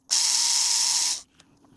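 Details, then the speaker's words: Arrma Kraton 6S RC differential rebuilt with ADU parts, refilled with heavier fluid, turned by hand: harsh high-pitched gritty whir then stop; diff grinding and binding, sounds like locking up, screw thread found mangled, metal debris. "I don't know what's wrong there, but that doesn't sound good. Sounds like locking up, and when you encounter this problem or hear something like that, always be careful and check your thread."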